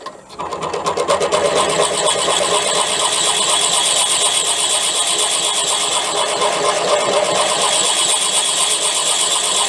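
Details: Drilling out a damaged sludge trap plug in a BSA A10 crank with a 15mm Irwin TCT-tipped metal drill bit after a smaller bit: steady high screech, bit chattering and barely biting; very hard material, owner suspects weld, not a plug.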